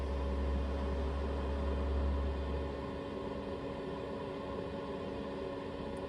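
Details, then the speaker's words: Planar diesel heater in a VW Transporter T6, heard inside the van, temperature set 22, cabin at 13 degrees, battery 12.1 volts: steady low hum and even blower whir with no rattles or surging; heater running normally. "it's uh three minutes past six and that heater is running so this is how loud it is inside the vehicle"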